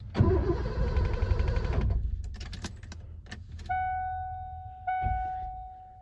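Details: 1988 Ford F-250 EFI, sat over a decade, after fuel pump installed: starter spins the engine evenly about two seconds without catching, then stops and a dash chime sounds; cranks but won't start.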